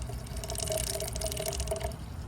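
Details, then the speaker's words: BMW 335i after replacing the leaking oil filter housing gaskets: wet gurgling, uneven dripping and short sputters over a low hum as the cooling system bleeds itself and air pockets work out of the coolant. No leaks were found afterwards. "You can hear it bleeding itself. I guess this is BMW's way of bleeding the cooling system. The car does it itself."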